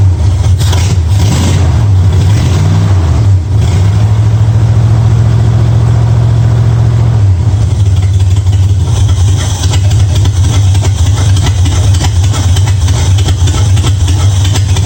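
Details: 1965 Mustang V8 with new headers after setting ignition timing to 12 degrees before, checked at number one cylinder: fires up with throttle blips, then holds a smooth even idle with no stumbling.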